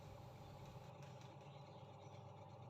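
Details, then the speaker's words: Sharp single-tub top-loading washing machine after gearbox bearing replacement: soft, even low motor hum with no grinding; the tub turns without noise, and remaining vibration comes from the machine standing unevenly. "The sound of this machine vibrates because the position of the washing machine is uneven."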